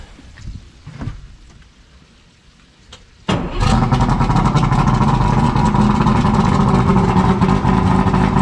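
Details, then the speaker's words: Yamaha 150 TXRC V6 two-stroke outboard after rebuilding all three carburetors, started in the morning on fresh fuel, choke then off, water boxes on: fires and settles into a steady, even run with no stumbling; starts without ether, runs normally. "we got out here this morning early just to make sure it starts up first thing in the morning no problems no ether no nothing like that it worked fantastic"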